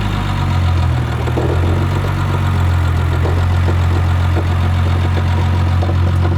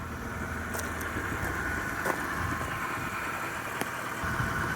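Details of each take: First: BMW 325i with a swapped-in N52 engine of unknown year, at idle: a loose, uneven, almost diesel-like metallic rattle, with delayed intake timing codes. The cause was a loose intake cam gear from sheared VANOS bolts, a recall item. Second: BMW 325i (N52) fixed after the VANOS bolt recall: quiet, even idle with only a faint fan whir and light click, no ticking or vibration; normal idle.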